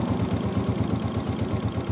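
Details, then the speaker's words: 2022 Honda CG125: steady quick clatter, about nine knocks a second, over the single-cylinder run; a vibrating cam pin, which if left could wear marks into the cam. "क्योंकि जब accelerator देते हैं केम speed से move करती है तो उस time इसकी वाइब्रेशन खत्म हो जाती है लेकिन इसकी साउंड शुरू हो जाती है आवाज शुरू हो जाती है"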